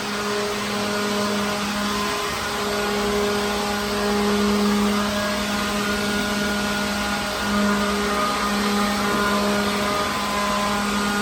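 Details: Second-hand leaf blower clearing dirt and loose particles from a truck trailer. Steady even motor hum with a constant rush of air, no surging or rattle; normal running.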